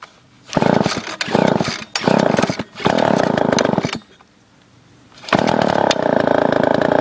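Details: Gas leaf blower, owned 5 years with no maintenance, choke lever broken off and choked by finger, in cold weather: small two-stroke screams up crisp and even in repeated bursts, dropping back cleanly; normal running.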